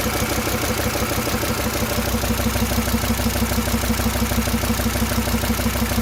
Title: Стук в двигателе SsangYong Rexton